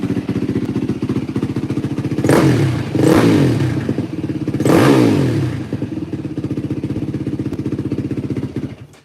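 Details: 2004 Yamaha WR450F single after carburettor rebuild kit, pilot mixture screw 2 turns out, choke floods it with too much gas: even idle with three sharp throttle blips climbing cleanly and settling back; runs great. Normal revving.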